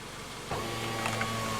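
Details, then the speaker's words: 2017 Subaru Outback driver's power window motor jumped directly to 12 V and ground: a steady, even motor hum as the glass rises, so the motor is healthy and the fault lies in the switch. "Yay! So the motor works. Fantastic."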